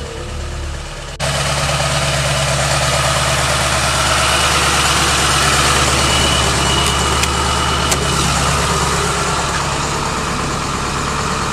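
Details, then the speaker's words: 2002 Ford F-350 7.3 Powerstroke diesel after seal work and coil-spring axle swap, cold morning around 10 degrees: fires up into a steady, even idle clatter, no misses or knocks; starts, runs and drives fine. "but for the most part this thing starts runs drives everything's done basically"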